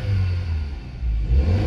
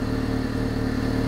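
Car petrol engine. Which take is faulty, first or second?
second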